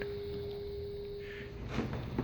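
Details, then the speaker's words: Normal fuel pump running on a third-generation Toyota Prius (2010–2015), the pump sending unit bench-powered with 14 V from two series hybrid cells; a faint, steady, even electric hum before handling clunks. "wired in series youve got 14 volts right here we'll hook this up and you can hear that pump"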